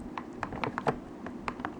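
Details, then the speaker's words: PS3 DualShock 3 controller after disassembly and cleaning with rubbing alcohol and Q-tips: crisp, dry button clicks in quick succession, the earlier squeak gone, sounding like a brand-new controller. "and you could kind of he hear a squeak no longer hear that it's just the nice sound of the button pushing feels like it's brand new"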